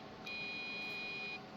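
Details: Old floppy-drive PC being tried for Windows 95 gaming: one steady high beep lasting about a second at power-on and no display; owner suspects RAM. Startup check failure, cause not confirmed.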